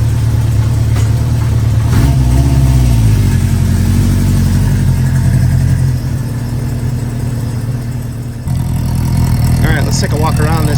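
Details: 1973 Harley Sportster project owner's 350 bike: started with choke up, idle turned up a bit, and after Seafoam added, the deep loping idle holds steady without stumbling or dying, some wind noise; idling a lot better, normal idle.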